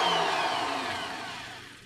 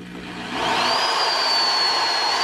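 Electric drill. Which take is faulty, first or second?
second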